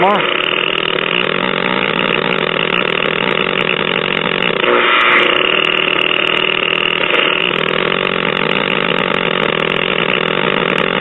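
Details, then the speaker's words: Probably late-1940s Packard Bell five-tube AM radio chassis: steady whistle over hiss rises sharply as the probe moves from the IF amplifier tube to the second IF transformer, where it is worst; the IF stage is oscillating. "transformer so it appears to be particularly bad around the second if transformer so we need to investigate that"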